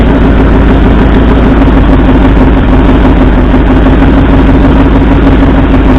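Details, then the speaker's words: 1964 Ford F100 V8 idling during a plug-wire-pull cylinder contribution test: a deep, uneven, lumpy beat. Driver's front cylinder and the passenger second cylinder show no RPM drop, so two cylinders are not firing. "and the second cylinder back on the passenger side, also no RPM change. So it appears we have two cylinders that aren't firing."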